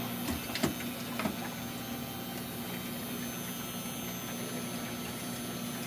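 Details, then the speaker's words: Frigidaire Affinity washer with standing water in drum and broken door latch, on spin-only cycle: steady low drain pump drone with light rattles early, pump emptying the standing water. "Okay. All right. Well, it doesn't say the door is open. So, how about spin only? Okay, we're running the pump."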